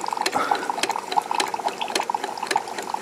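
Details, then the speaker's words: Keurig 2.0 brewer after repairing bottom leak (brittle disintegrated high-pressure relief valve bypassed with automotive T-fitting), four-ounce test cup: steady pump hum with water trickling and gurgling into cup, pumping and dispensing normally. "so i'm gonna do another test cup here four ounces remember before it was leaking i can already hear it coming out of the cup"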